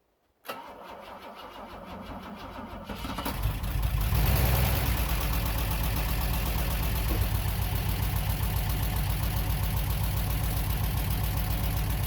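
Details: Bitter SC 356 after no-start diagnosis, fuel pressure reaching three bar but building slowly, fault found as loose connector tabs squeezed tight: cranks a few seconds, catches, revs up, settles to smooth steady idle.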